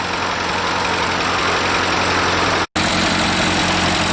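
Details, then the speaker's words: Ford 8N tractor on its first start after years sitting: fast, busy tapping clatter over a rough idle. The owner suspects serious valve clatter from dirt or lack of oil flow after sitting, possibly a burnt valve. "hope that clears up there's some serious valve clatter that could be dirt from setting"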